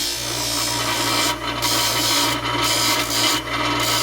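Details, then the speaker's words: Craftsman buffing wheel running: steady motor hum with gritty buzzing rattle from the loose tray on the bottom vibrating; owner plans to bolt and epoxy the tray in place. "That noise is this damn thing tray on the bottom. I gotta bolt in the bottom and epoxy it in place."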